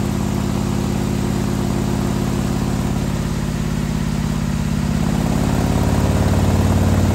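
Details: 2020 Harley-Davidson Road Glide, fresh 130-inch T-Man Performance stage four engine on a dyno pull after warm-up (result about 155 ft-lb torque, almost 153 hp): strong, even V-twin drone rising steadily in pitch, no knocks or misses; healthy engine under load.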